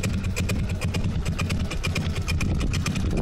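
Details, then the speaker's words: GY6 scooter engine (Ultra F50) just refitted with Ecotrons electronic fuel injection, idling at about 800 rpm: slow, deep, even putt-putt with no misses, relatively stable; with the carburetor idle could not go below 1700 rpm. Normal low idle. "that is how 800 rpm sounds like on a gy6 engine yeah and as you can hear it's relatively stable"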